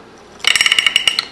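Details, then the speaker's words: 1958 Harley-Davidson XL Sportster during rebuild, kickstart assembled: as the kicker returns, crisp evenly spaced metallic clicks of the ratchet against the back of the clutch hub; kickstart ratchet working normally. "you should hear it ratchet against the back of the clutch hub. When it gets to the stowed position, the top of its stroke, the gear, the kickstart gear on the transmission shaft is pulled in behind the ramp on the kicker gear. So this one is working good."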